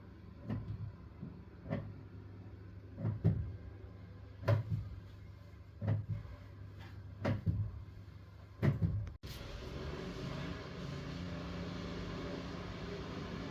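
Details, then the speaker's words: Boiler with rapidly rising flow temperature, no heating or hot water, hot flow pipe and cold return pipe: heavy thumps about every 1.5 s over a low hum. Kettling and banging because the return-pipe gate valve was closed. "the temperature was Rising really high and and there was no Heating and no hot water and the boiler it was banging flow pipe was hot WR pipe was cold"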